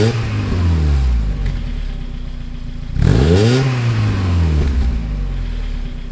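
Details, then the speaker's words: 1995 Mazda Miata after an exhaust replacement with a used front pipe, new catalytic converter and new Borla cat-back, heard from behind the car. Two clean rev blips with a deep, even exhaust note and no rasp or rattle: normal revving. Owner later notes a lifter tick and occasional idle stumble. "Okay, there's a few revs. Definitely sounds a lot better than it did."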